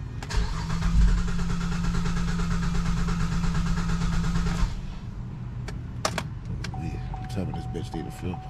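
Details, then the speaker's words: 2007 GMC Acadia salvage rebuild after a new battery, alternator and belt, having sat for a while: a steady cranking whir for about four seconds that catches only momentarily and never keeps running. Cranks but won't start; cause suspected but not confirmed. "we got gas in here we got a little bit yeah I hear it starts for a second it comes right back up"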